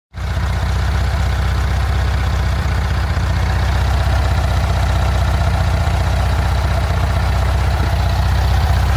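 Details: After an exhaust leak repair, the engine gives a steady, deep idle with an even low rumble and no puffing or ticking. Engine and exhaust sound healthy.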